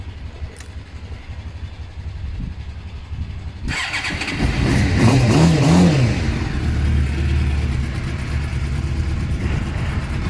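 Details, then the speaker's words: Suzuki GSX-R SRAD motorcycle start-up: starter whirs briefly, engine catches, blips once then settles into a steady even idle with no misses; normal idle. "But all your seat locks work, your ignition works, your steering lock works, and the bike starts and sounds like this, so that's all good."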